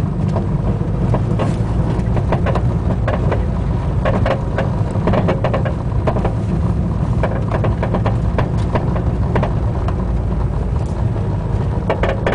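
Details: Front driver's-side Buddy Club Racing Spec coilover on a car being driven: irregular sharp pops and clunks from the spring/shock body and creaking from the top mount over low road rumble; felt through the floor and pedals, constant on every drive, cause unknown.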